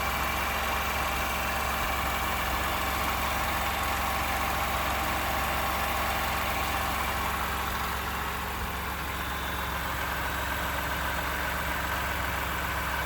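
Steady idle with a light, fairly regular ticking rattle of about two or three a second over the engine; it points to an internal knock, cause unknown.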